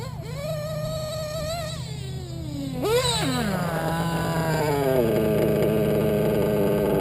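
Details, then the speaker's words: Modded Reds R5R .21 RC nitro engine, new, tuned very rich for protection: sharp rev, then buzz slowly sags back with hesitation rather than dropping straight to idle; rich setting keeps idle from going very low. "now it didn't come down right away see how i would hesitate a little bit but that's only because i'm running it really rich when you run it rich you're not going to get an idle to drop down really that low"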